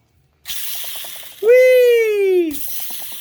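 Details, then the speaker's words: 2015 Ford Fiesta ST clutch slave cylinder release bearing spun by hand gives a rough, ratcheting rattle and a falling metallic squeal, clearly worn; the new one spins silently. "i would say that uh this bearing shouldn't sound like a metal wheel roller skate wheel with a poopy bearing in it"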